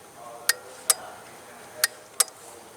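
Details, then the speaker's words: Ford Freestar with erratic wipers and radio stuck on: sharp uneven accessory delay relay clicks as the front wiper motor fuse is pulled and reinserted, the relay energized by 2.8 volts back-fed through the wiper motor circuit. "fuse in and out fuse in we see this 2.8 volts fuse out and we can hear that accessory delay relay being energized"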